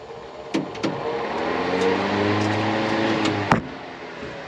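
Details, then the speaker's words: 1949 Chevrolet Advance Design truck, dormant 30 years, during ignition switch restoration. Battery just hooked up with the switch apparently in accessory mode; the old cab heater blower runs with a steady, even motor hum, smooth fan tone and switch clicks; still works. "Okay, so I hooked up the battery and I've got a noise. It's this freaking heater. I guess it must be in accessory mode or something."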